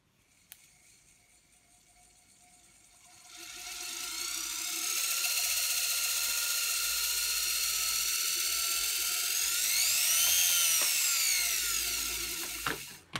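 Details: Beko WM5100W washing machine brushed commutator motor, run on the bench from a variac after the rough copper commutator was skimmed on a lathe. Steady, smooth high whirring whine with no knocks; seems quieter than before.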